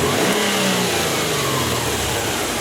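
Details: Subaru turbo engine after cleaning a dirty hot-wire MAF sensor (P0171, hesitation on acceleration), snap throttle test from idle: revs rise cleanly and fall back smoothly, no stumble; MAF now shows the initial spike; normal snap throttle.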